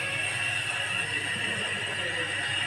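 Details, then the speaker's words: DeWalt 801 angle grinder after repair, with the head reassembled and carbon brushes refitted; it had suddenly become very loud before. Now a steady, even high whine with no rumble or rattle: running smoothly. "Grinder की आवाज बिल्कुल change हो गई है बिल्कुल अच्छी तरह से चल रहा है"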